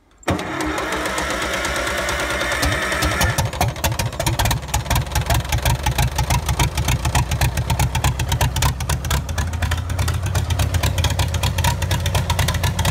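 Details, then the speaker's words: 1954 Farmall Super M tractor, first start after auction purchase, choke then pushed in: fires after short crank and settles into an even, regular chuff with no misses or knocks; runs healthy. "wow that sounds good oh yeah you gotta push the choke in that'll run on the six bowl"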